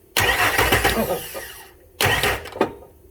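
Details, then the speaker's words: Ford F150 cranked with a starter button switch: two short cranking bursts that never catch, with a sharp single clunk near the end of the second. Parts had been replaced without diagnosis; theft system may shut off fuel. "there you hear that clunk that's not a great"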